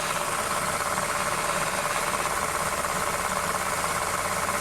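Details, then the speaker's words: 2008 Honda New Civic at cold idle, accessory belt tensioner already replaced twice; steady rough whirring hum with faint rhythmic ticking; stethoscope and belt removal point to a worn power steering pump bearing. "nós tiramos a correia de acessórios né nós tiramos de cá ferramenta com os copos valor tá muito forte aqui na bomba da direção hidráulica né"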